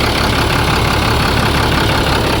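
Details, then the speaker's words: International 4400 DT466 diesel, thought to be a 2004, that sat over winter and cranked slowly, now idling on 10 gallons of fresh diesel plus additive. Uneven, lumpy clatter with a stumble; metal flakes were found afterward; rough running. "See what it sounds like again. Not great, but let it run a while. Let it circulate that diesel."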